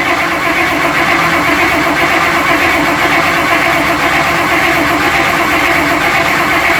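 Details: 1955 Buick Special that sat unknown years, with carburetor and brake master being rebuilt and wet points: once the fuel line was hooked up it catches and settles into a steady idle with a slight lope. It is still a little lazy off idle and dislikes throttle.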